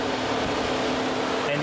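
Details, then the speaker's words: 2008 VW Rabbit 2.5 L, warm, key off, code P0480 and check engine light on: steady whirring cooling fan drone with no engine underneath, running four minutes plus, expected to run until the battery dies. "how long does it stay on it just stays on four minutes plus and then it goes off now oh so at this point it's gonna go on until the battery dies"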